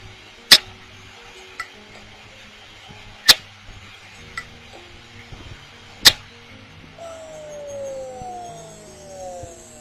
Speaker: en este caso se produce un sonido muy bajo dentro del disco y después de unos momentos la alimentación de los discos duros se apagará